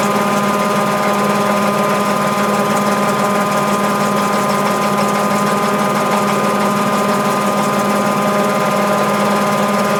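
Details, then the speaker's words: Mabe 18 kg top-load washing machine, spin cycle with pulley and agitator gears engaged, thermo-actuator and drain pump powered at 110 V throughout: smooth steady motor hum, pump running underneath, no knocks or scraping. Normal spin. "cuando estos dos engranes están ensamblados correctamente entonces la lavadora tiene las condiciones necesarias para comenzar a centrifugar así como lo estamos viendo en la reproducción del vídeo"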